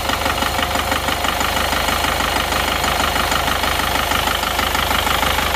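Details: Isuzu Panther Touring New diesel idling rough with a steady tapping knock over the clatter during injector cut-out check, loosening nozzles one by one; dipstick tube smoking from blow-by, engine pulled for new piston rings.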